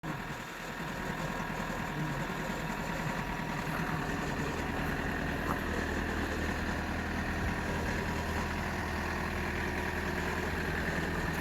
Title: Toyota Corolla E120 2.0 D4D 85kW cold start strange noise